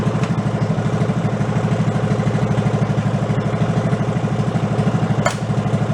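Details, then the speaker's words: Go-kart fitted with a 16hp engine replacing a 5hp, warming up after carburetor fuel troubles; idle set too low gives a slow lumpy idle with a regular clack as the decompression valve kicks in; raise the idle rpm. "Going down so low, the decompression valve is kicking in. I can actually hear it clacking. You gotta go up a little with the RPMs."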